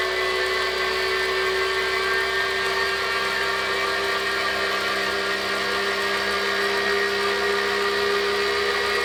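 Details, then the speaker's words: Kinetic R1 direct-drive smart trainer running at speed: a constant mid-pitched whine with a busy hiss, louder than other trainers in its price range despite being claimed quiet, with slight vibration at lower and higher speeds. "the company does claim it is quiet on their website but I wouldn't say this is quiet at all this is louder than other channels in this price range and even the mid-range trainers these days are much quieter"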